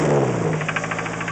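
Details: 1991 Nissan 240SX rough idle with a quick sharp knock keeping pace with the engine; sounds like rod knock from a worn rod bearing.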